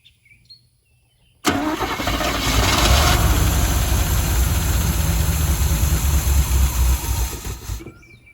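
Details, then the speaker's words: 1985 Chevy C10 305 V8 with new distributor, fed through the old fuel pump after gas was poured down the front two carb barrels: catches on the first crank, runs rough about six seconds, then dies; owner suspects the fuel pump is still trying to pump. "okay I didn't expect it to idle so the fuel pump's probably trying to pump"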